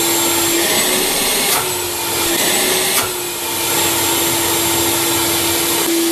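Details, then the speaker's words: Craftsman 12-gallon wet/dry shop vac after cleaning debris out of the clogged fan blade and filter and opening the baffle: smooth, even rush of air with light steady hum, no siren-like whine; strong suction, running normally. "now that when i cleaned out the fan blade and got all the plugging out of the fan blade it stopped being a siren and went back to just moving air so it's not anywhere near as noisy as it was"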